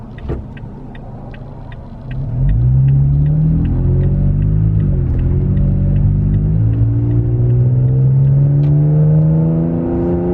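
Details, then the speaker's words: Toyota Tacoma with MBRP aftermarket exhaust, heard in the cabin cruising at 55 mph: deep, constant boom that swells slightly with throttle; exhaust drone. "if drone is a constant uh rumble or or sound from the exhaust then absolutely absolutely it has an exhaust drone uh because you can hear it while you're cruising"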